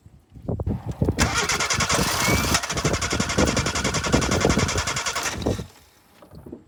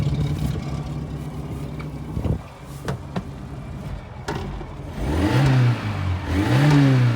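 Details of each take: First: 1988 Suzuki Samurai, lifted, low oil, starting fluid sprayed in intake: steady cranking about three to four beats a second that never catches; fuel gauge reads empty, out of fuel. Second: 1988 Suzuki Samurai after bypassing the fuel filter with new rubber line: after handling clatter, the engine revs in even blips, rising and falling cleanly with no knock or stumble; it runs normally.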